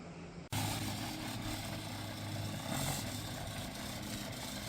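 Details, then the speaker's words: Honda CB750 cafe racer four-cylinder, startup and idle after a carb rebuild and new spark units (early ECU-type units), cold. A steady, even idle with a smooth low hum and no misses or knocks; the engine sounds healthy. "Available uh brand new from Rick's Motorsports on on eBay and um arrived quickly at Chris Fittedom and now it runs like a dream."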